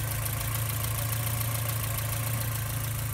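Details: 1987 Porsche 944 Turbo at idle after engine reassembly, headers also sounding leaky; steady idle with a faint, irregular sharp clacking riding on the exhaust note from an unseated spark plug boot arcing.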